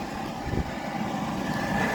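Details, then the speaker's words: Goodman package unit furnace after inducer fan motor replacement (had two-blink pressure-switch-open fault), pressure switch refitted and started: smooth, steady whir with no rubbing, stall hum or rattle; new inducer fan running freely. "But because the inducer fan motor is it's the first step in the furnace sequence, we wouldn't know, right? So we'll go ahead and run it."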